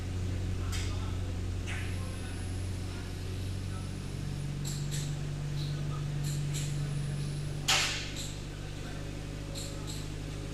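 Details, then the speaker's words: 2012 Hyundai Accent with a stalling issue and check engine light, oil found at least half low and topped up with 2 litres: brake-torque test in drive gives a steady, even drone, and the rattle heard earlier is gone. "So earlier when I was doing that, I can hear there's some rattle noise in the engine. Right now I don't hear at all."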